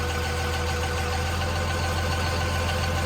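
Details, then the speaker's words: 2000 Dodge Ram 2500 24-valve Cummins turbo diesel (VP44, 47RE) after Airdog Raptor 4G lift pump install replacing in-tank pump; fuel pressure bumped up; steady, even diesel clatter at idle with constant low drone, no stumbles or misses; normal healthy idle. "yeah that's where you want it to be at idle right there"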